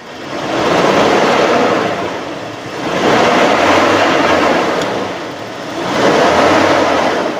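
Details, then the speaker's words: 1997 Toyota Kijang Kapsul LGX carbureted engine revved from idle: three clean throttle blips rising and falling smoothly with no knocks, rattles or squeals. Idle was smooth with no fan belt squeal and the oil showed no coolant contamination. Engine normal. "kita raungkan, kita blayer, itu suaranya mesinnya masih tetap normal. Tidak ada suara yang aneh-aneh atau tidak ada suara-suara yang janggal."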